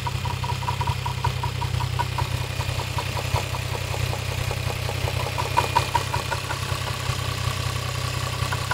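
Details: Toyota 1JZ-GTE VVT-i engine idling with a light, fairly regular knock about two and a half per second; engine knock, cause unclear.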